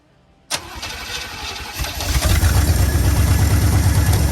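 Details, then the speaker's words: 1965 Acadian Beaumont two-door hardtop V8 on its carburetor. Manual choking did not help and a spare carb may be swapped in. It catches after a short crank, runs low and lumpy and struggles to stay lit; it seems to need the idle raised. "Sounds like it just needs a little more idle and this thing will run."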